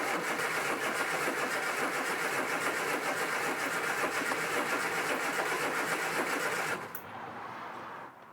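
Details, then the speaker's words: Barn-find Mk1 Austin Mini with the electric fuel pump on and choke out. Even starter churning at about four beats a second with no firing or catch, then it stops. Cranks but won't start; plugs later found oily from the lube put down the cylinders. "choke no firing so far right so it's not firing but what I'll do is I'm going to take the air filter off and just have a look"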